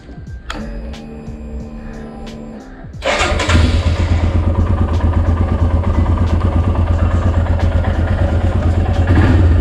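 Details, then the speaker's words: Royal Enfield Himalayan after a DIY fix of a front-end vibration noise: engine starts and settles into a steady even thump with no rattle or buzz from the front; the tuck-tuck sound is gone. "you're ready to go and enjoy your royal enfield himalayan without any weird noises showing you again there's no more of that tuck tuck sound"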